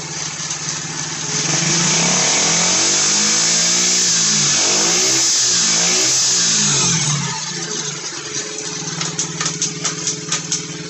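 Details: Roughly 90cc pit bike found on a rubbish pile, on a milk crate, run through the gears. The engine spins up and settles with each gear, running evenly with no knocks or grinding. The transmission works.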